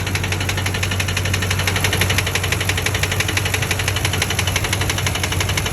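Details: 2004 Ford Expedition 5.4 Triton V8 at idle: a hard, sharp, regular knock about three per second appeared after a spark plug blew out and was repaired. Rod knock is suspected from poor prior maintenance; Seafoam and Lucas treatment are planned.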